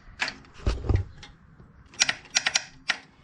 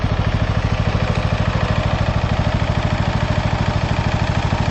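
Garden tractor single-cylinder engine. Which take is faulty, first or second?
first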